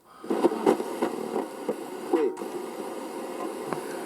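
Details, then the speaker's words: Roberts Revival R250 vintage radio, dial pointer swept up and down repeatedly: irregular crackles and scratchy pops from dirty contacts in the polyvaricap tuning capacitor; working the dial clears it, no-cost fix. "Sometimes when you get a scratchy tuning"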